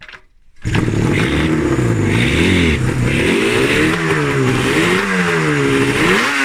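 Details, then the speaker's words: RD350F1 two-stroke, 31K, left to rot in a garden for decades, first start in perhaps 20–30 years after earlier dry plugs: a crackly note swinging up and down with throttle blips, ragged on each rise; the throttle still needs sorting. "so I think we classed that as a run then my God right so it runs I just need to uh SS out the uh throttle a little bit"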